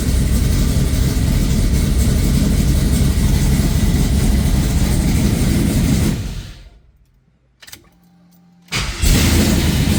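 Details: Oldsmobile Cutlass after the fault was fixed, with no trouble codes stored: the engine runs steady and smooth with an even low beat, shuts off cleanly and restarts promptly without stumbling; normal start and idle.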